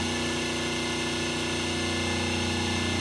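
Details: 5 hp three-phase motor on single-phase 220 V with three 36 µF run capacitors and a 450 µF start capacitor: even, soft hum with steady pitch and no growl, sounding softer; winding voltages about 207–208 V, nearly balanced. Normal motor hum.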